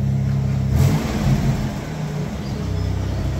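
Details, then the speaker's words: 1989 Mitsubishi Pajero V6 revving after cracked, warped exhaust manifold was replaced with Australian-made stainless steel extractors: deep, even exhaust note climbing and settling cleanly, no ticking or puffing; exhaust sealed and healthy, quieter, sounds way better. "yeah dude it sounds way better [Music] way better it's quieter awesome job well done"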